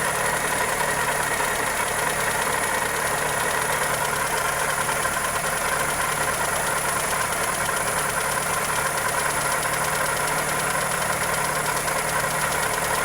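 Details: Toyota 2E engine (Corolla EE90) at steady idle with fast, uneven ticking of three or four per second; internal knock suspected from valvetrain or connecting rod, not confirmed.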